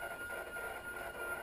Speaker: I don't think refrigerators are supposed to make that kind of noise. You hear it? Yeah, I don't think that's supposed to happen.